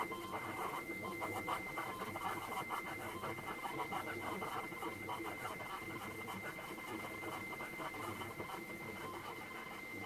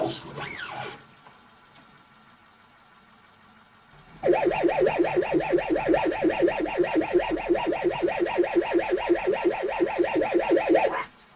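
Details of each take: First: well that sounds a lot better because that sounds more like what i would be expecting a cassette tape to sound like on an 8-bit machine Second: ZX Spectrum 128 +2 built-in cassette drive loading a tape: warbling tones pulse about three times a second instead of the steady loading screech; abnormal loading sound, drive not reading properly.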